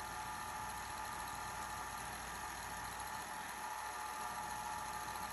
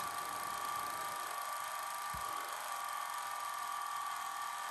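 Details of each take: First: 1980 Sony Betamax SL-5800 VCR after cleaning, second tape; steady even whir with faint high hiss, no catching or slowing, rewind normal. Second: 1980 Sony Betamax SL-5800 VCR, old stuck-together tape; fast forward whine sags, nearly stops, then recovers, tape binding, fast forward slowing on sticking tape.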